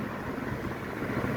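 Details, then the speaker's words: Mitsubishi i-MiEV electric car at speed after repairing chipped, scuffed mirror surrounds that caused a high-pitched penny-whistle around 40 mph: only a soft, even rush of wind and road noise, no thin whistling tone. No mirror wind whistle. "Both sides are now a lot lot better and hopefully the whistling will have gone. Another fix on the IMV. Look, no whistling."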